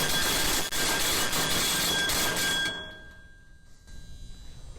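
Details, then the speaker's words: Liftmaster LM21XP overhead fire door drop test after lifting wire six to simulate a heat detector alarm: loud rattling rush of the mechanism with a high steady alarm beep; door dropped in about 4 seconds, faster than the 6-second minimum. "Once I start, by the way, once I start pushing this, it's going to start beeping. So, there's that noise level."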